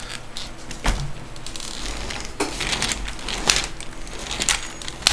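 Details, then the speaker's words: Revo RC truck rolled by hand on a table, all four tires down, after losing drive power: irregular sharp clicks in bursts from somewhere up front in the drivetrain; owner suspects a bad gear, not confirmed. "that clicking sound? It's coming from the front somewhere. It's coming from up in the front somewhere. I'm assuming one of the gears is bad."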